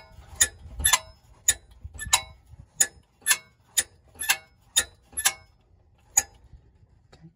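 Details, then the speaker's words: 2001 VW New Beetle 2.0 five-speed, engine off: shaking an exhaust part by hand gives sharp metallic clinks in uneven bursts; owner suspects a loose exhaust clip or hanger needing tightening, unconfirmed. "just trying to figure out that rattle seems like that's probably a clip or something any help great thanks"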